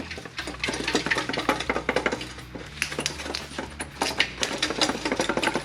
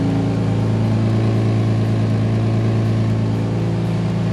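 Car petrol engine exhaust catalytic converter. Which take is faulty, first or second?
first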